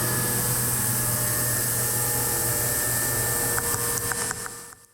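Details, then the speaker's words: Haas CNC machine running a program: smooth, even low tone with a steady high whine and no squeal or chatter, the uniform sound of a good, clean cut. "So, let's listen to a couple of examples. This is what a good cut should sound like."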